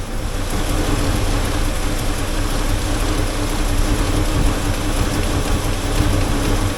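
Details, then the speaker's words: Engine warming at idle before a running valve adjustment; loud steady idle with a constant buzzy rattle from the muffler, nothing loose found underneath, owner suspects something inside the muffler rattling. "I don't know what that rattling Muffler situation is I crawled under there at the other day and looked at it I couldn't find anything loose unless there's something inside the muffler that's rattling"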